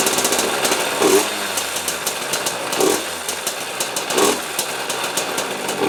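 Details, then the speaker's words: 2003 KTM 50 Mini Adventure two-stroke on fresh premix with a cleaned carb and the oil injection blocked off: sputters and catches in uneven bursts, never settling to idle, then dies; sounds fuel-starved, cause suspected, not confirmed. "Doesn't want to stay running though. [Music] Still sounds like it's starving for fuel. Maybe it just needs to be cleaned out."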